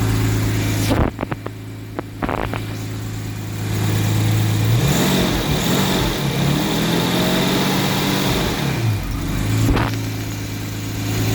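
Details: 1989 Jaguar XJS 5.3 V12 that cut out while driving and wouldn't restart, now starting after a couple of hours' rest: lumpy, uneven running with revs surging up and down when throttle held just off idle; revs up fine, seemingly on all 12 cylinders.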